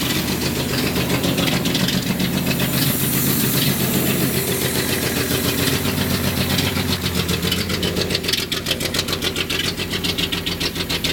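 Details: 1976 Datsun 280Z idling: uneven, loping, stumbling pulses instead of a smooth beat. It runs rough everywhere; the rough idle's cause is not pinned down.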